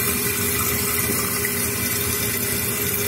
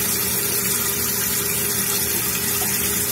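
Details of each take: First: Toilet tank refilling after flapper reseated: steady hiss and rush of water, even with no gurgle or surging; flapper now seals, though the chain is a bit tight and needs a thumb's width of play. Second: Running toilet: steady hiss and rush of water pouring into the bowl that never stops because the flush valve flapper is not sealing.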